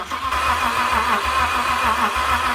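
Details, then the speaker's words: Normal cranking without fuel to build oil pressure on a freshly engine-swapped BMW X5, engine not run for about 8 months: even, rhythmic starter churn at steady cranking pace, no firing; cranking sped up into a rhythm. "we have to crank the engine without any fuel so that we can build up oil pressure, because the engine's been hasn't been running for, who knows, probably 8 months."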